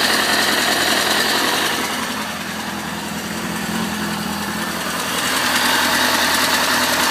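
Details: 2004 Kawasaki ZX-6R at idle: busy, clattery idle with a fast steady rattle over the engine note; source unknown, possibly the tensioner.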